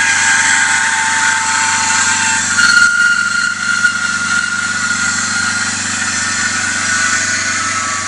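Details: BMW E39 525i idling with a constant high-pitched whir and hiss over the accessory belt drive, from a defective idler pulley (Umlenkrolle).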